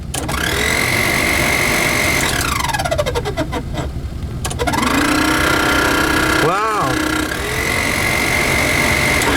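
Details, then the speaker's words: 1988 Chevy G20 van AC blower motor: high bird-like chirps and steady squeal near 2 kHz over the fan rush, sliding up and down; owner wonders if leaves are stuck in the blower or the motor is getting ready to fail. "wow i wonder if leaves are stuck in the blower that sounds like a bird the motor is probably getting ready to go"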